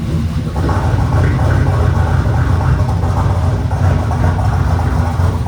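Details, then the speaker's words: V8 truck with a replacement engine and stage 3 cam, first start after install with exhaust cutout closed; deep lumpy rumble with irregular stumble; misfire. "Alright, I'm gonna shut it off because yeah, it does sound like it has a miss. That's new."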